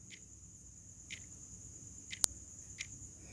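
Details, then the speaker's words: Wall clock quartz movement with a battery fitted, checked for ticking before mounting: faint crisp tick about once a second, evenly spaced in a quiet room. The movement works normally. "अब दोस्तों, हम इसमें battery लगाकर check कर लेंगे कि टक टक की आवाज़ आ रही है कि नहीं।"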